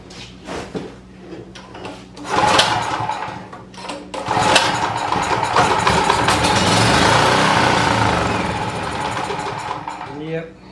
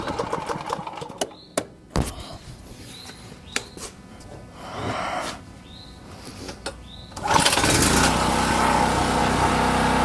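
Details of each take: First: Champion 4000 W generator, curb find, fuel shut off, choke open, on starting fluid: coughs, fires a few times, runs raggedly for several seconds, then dies starving for fuel; suspected fuel problem, carburetor needs cleaning and bad gas drained. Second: Champion 4000-watt generator curb find, fresh non-ethanol fuel, choke on, carburetor previously rebuilt: after handling clatter it starts and holds a steady, even drone with no surging or stumbling, running healthy.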